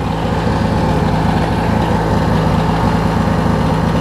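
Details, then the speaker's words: Craftsman LT1000 Briggs opposed twin, after hot-start repairs, starts without choke and idles smoothly with loud, steady low chugging; exhaust now about 250 degrees cooler, starter a little weak, fuel low. "let me see if I can start it up without even having to choke it that's awesome I could never do that before"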